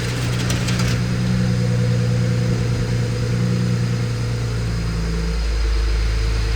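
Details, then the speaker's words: BMW E91 335i, newly fitted replacement N54 engine idling just after start-up, after a fix to stop the starter teeth grinding on the flywheel; smooth, even low hum with no ticks or rattles; healthy. "Sorry for the facial expressions there, but oh my god, it sounds [ __ ] mint."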